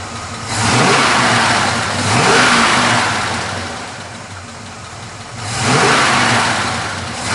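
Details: 1979 Chevrolet Camaro, 400 cid small block V8, cast exhaust manifolds, dual exhaust, 3-speed manual: lumpy idle rises in three smooth throttle blips, settling back each time; clean, healthy idle and revving.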